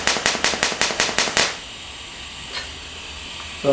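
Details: Fronius TransSteel 2200 in TIG mode with pulse frequency set to about 5.4: crisp arc crackle pulsing evenly about five times a second, then cut off, a healthy pulsed TIG arc.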